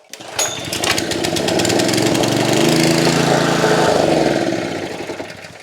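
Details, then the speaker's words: Honda GX160 engine on a Davey firefighter pump, after a no-spark fault was diagnosed and spark confirmed; pull-start catches at once with the throttle about halfway and choke off, running an even, steady buzz. Normal running. "So there you go, folks. What a beauty. You've fixed the spark and you've got your Honda GX engine running again."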